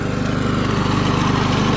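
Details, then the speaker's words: Early-1980s Snapper self-propelled mower, 6-speed, in gear three: steady small-engine chugging with even light pulse, no misses or rattles; runs and cuts like new, healthy. "it works like a brand new lawnmower it cuts good and everything"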